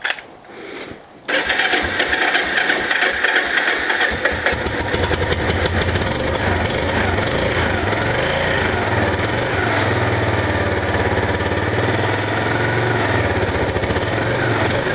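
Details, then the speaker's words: Project Yamaha SR250 single-cylinder cold start, choke not pulled: quick catch after brief crank, then steady even thump settling into smooth idle; healthy cold start. "i didn't realize they didn't even pull out the choke and it was running that well freaking awesome"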